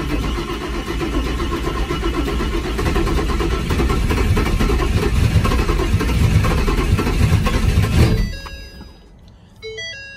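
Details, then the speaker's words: Freshly built turbo Mustang's first start after a fuel-pump wiring fault was fixed and the injectors were reconnected: the starter churns steadily about three times a second for eight seconds with no firing while priming empty fuel lines. "there's like no fuel in the lines or anything, so I'm just trying to let it get some fuel up there."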